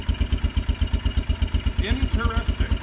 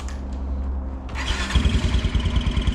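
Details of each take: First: Kawasaki Brute Force 300 ATV (Kymco engine), ice cold, after adjusting tight valves for hard starting, backfiring and black plug; rhythmic chugging cuts out then catches unevenly; starts only when starter released, owner suspects low voltage (12.1–12.2 V) weakening spark. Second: Kawasaki Brute Force 300 ATV with a Kymco engine, previously backfiring and hard to start with a black plug, after valve adjustment (tight valve corrected): starts cleanly about 1.5 seconds in and settles to an even idle thump, with a slight chirp suspected from the clutch.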